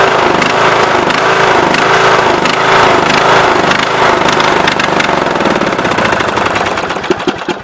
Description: This is what is currently happening to my John Deere Sabre mower engine. After it has run awhile, the engine seems to pulse or surge and nearly cuts off, but attempts to continue running like this and will cut off if I try to mow or drive it.